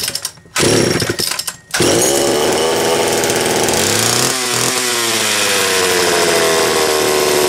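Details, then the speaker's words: Homelite Super XL two-stroke chainsaw, freshly serviced starter, carburetor, fuel cap, new spark plug and rim sprocket, cold start after nearly two weeks unused: a couple of pulls, fires and revs, then crisp steady run; normal cold start and running. "it's been just shy of two weeks since i ran it last see what it takes for a cold start"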